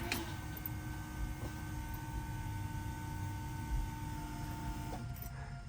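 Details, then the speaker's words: 1966 Ford Mustang with aftermarket fuel injection, heard from the cabin with key on before start: a steady, thin, even whine for about five seconds, then it cuts off. Normal fuel pump priming whine. "We'll put the key in, turn it, and you'll hear the whine of the fuel pump, the AFI system filling up the"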